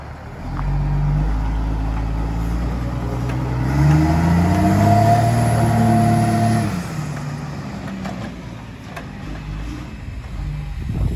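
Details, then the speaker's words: Military surplus 6x6 cabover diesel truck, road test. Deep diesel note climbs steadily through the gears with an even, clean pull and no knocks. Runs beautifully. Normal acceleration. "everything is good this truck is running like flawless it runs freaking beautiful"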